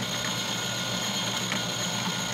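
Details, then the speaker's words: Refurbished industrial HDPE plastic shredder with repaired plastic gears, freshly greased, driven by induction motor instead of hand crank: steady even whir with faint ratcheting gear patter, no knocking or catching; sounds good, normal running. "we got the shredder we got it ready let's crank it up it sounds good right it's all greasy she's so greasy"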